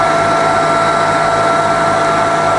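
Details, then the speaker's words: Bridgeport milling machine with 42-inch table, twin-speed motor in high range, shifting from first speed to next speed up: steady, smooth hum with clean constant pitch and no rattle or grinding; spindle runs healthy. "so that's the first speed in the high gear well that we're in now okay going the next speed up"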